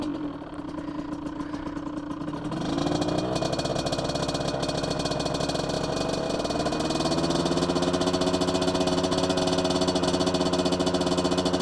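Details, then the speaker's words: 2003 Aprilia RX50 two-stroke bored to 85cc, fat pipe, stock ignition, slightly warm, pilot jet down two sizes: now starts without cracking the throttle and settles into a slightly burbly, uneven idle with soft blips; still slightly rich, smoother throttle response. "Still slightly too rich, I think, which is good."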